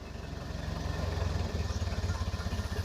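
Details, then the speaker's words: 1931 Ford Model A Roadster on the move: even, pulsing low putter of the four-cylinder with a steady rhythm, no knocks, light road noise; runs healthy. "boy it sounds awful good though don't it listen to that thing"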